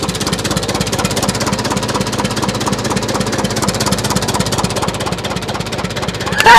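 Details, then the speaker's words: 1941 IH TD-14 dozer sat 25 years, gas starting engine after fuel on, choke, compression off, throttle down: quick steady even patter at idle, oil pressure up, running cleanly; a belt still broken. "Are we running? We got oil pressure. That's the gas side."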